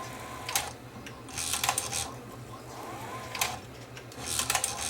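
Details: Sony SL330 late-model mono Betamax (711B3 chassis), whose mechanism kept jamming with a tape stuck; test with a thin old tape shows short motor whirrs and soft clicks as the cassette loads and modes change, cycling smoothly without jamming.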